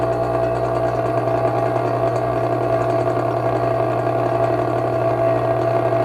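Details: Vintage 1937 electric fan running unoiled: steady buzzing hum with a dry, chattering rattle over it; owner suspects a loose part with slack and bearings needing oil.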